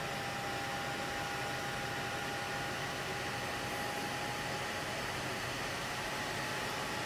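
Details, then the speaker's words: Hackintosh PC under full load during an export, with the stock boxed CPU cooler before its Arctic Freezer 13 upgrade: loud steady fan rush with a thin whine while all other fans stay silent; noisy CPU cooler. "so yes you heard that right all the fans are silent just the cpu cooler is running like crazy"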